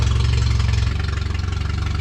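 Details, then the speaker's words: 1974 Datsun 620 revived after 45 years parked, carburettor cleaned and tuned with a delete kit: steady, even idle with no misses or knocks; water pump leaking and alternator not charging. "Whoever carb swabbed that baby and tuned in that carburetor with the little delete kit must have done a pretty damn good job. She sounds like a ripper."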